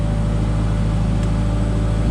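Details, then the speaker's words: Genie S40 boom lift's Ford LRG 425 engine idling after timing belt and tensioner replacement: steady, even low drone with no misses or knocks; idles smoothly, timing correct, everything sounds good. "If our timing is off, it'd be hard cranking or starting, but it sounds smooth. Everything sounds good."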